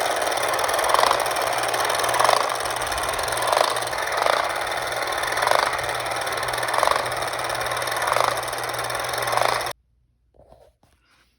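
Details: Late-1960s/early-1970s Remco Tiger Cat toy jeep after a shifter repair locks the clutch dog: even motor buzz with a soft regular bump about every 1.25 s, staying in low gear; normal running.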